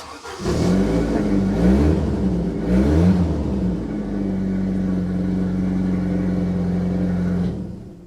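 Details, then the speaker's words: Saab 900 Turbo with K-jet fuel system restarted after K-jet repair; engine still has many small vacuum leaks needing work. Catches after a couple of blips, then settles to a steady, even idle hum; starts and runs normally. "So the Saab is running again. There's still so much work needed to be done on that engine."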